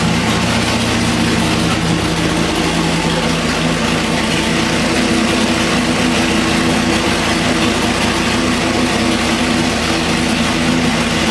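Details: Budget 406 Chevy small block on the dyno (Scat rotating assembly, Jegs heads, intake and rockers, pump gas, 32° timing), warming the oil after fixing a pushrod out of its lifter pocket with rocker adjustments: a smooth, even idle, no valvetrain ticking or misfire; running normally.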